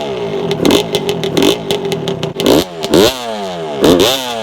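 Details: 1992 Suzuki RM125 two-stroke dirt bike, started back up after carburetor install on a 5-month build, close-up; crisp ring-ding idle with clean free-revving blips, no clatter or bogging, healthy. Owner cannot find neutral, so kept idle brief.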